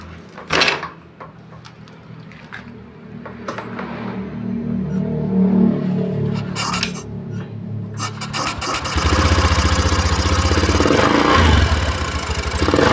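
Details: Honda Vario 110 eSP scooter after repairing severe CVT judder (clutch linings worn away): starts, idles, then revs smoothly and holds a steady higher note without judder; normal start and rev.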